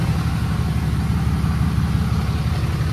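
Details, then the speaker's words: Totaled salvage Cummins diesel Ram 3500 after rewiring, hot day over 100°F: deep steady diesel clatter about three beats a second with no misses; idling smoothly. "she runs freaking runs y'all the truck's running"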